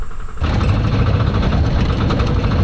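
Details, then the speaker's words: Homemade inline 3-cylinder diesel swapped into a Baja Beetle, on a road test: heavy low drone under load, rough and uneven with lumpy low-end pulses; engine labouring and struggling, cause unconfirmed. "Sounds like it's starting to struggle."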